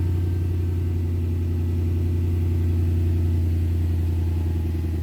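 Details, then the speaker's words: 2003 Infiniti M45 cold start after rear hub bearing replacement: a smooth, even low rumble with steady pitch and no knocks or misses, a healthy warm-up idle. "Alright, we're gonna do a cold start. Love the cold start on this thing. Damn, she sounds good."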